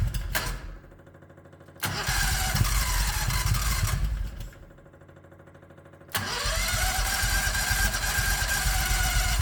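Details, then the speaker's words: 1969 Renault R10 with a 670cc Predator V-twin, manually choked carb: two short cranking bursts, then it catches and settles into a slow, lumpy idle; idle speed is too low while the engine is cold. "not bad oh it sounds like the idle's too low me it'll do this when the engine's [Music] cold"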